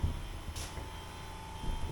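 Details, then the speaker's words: 1979 Porsche 924 during restoration, electric fuel pump hot-wired from the battery: faint steady high hum over a low rumble, pump running normally at the rear. "you can hear the fuel pump running right can you hear that it's back there running"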